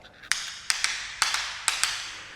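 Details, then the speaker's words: Floor tile assessed with key taps before vinyl flooring: seven sharp taps on a cracked, drummy (debonded) tile each leave a hollow ring instead of the dead, solid click of a well-bonded tile. "So, we've got a cracked tile here, which is drummy. So, I'm just going to show you the difference between a drummy tile and a and a solid tile."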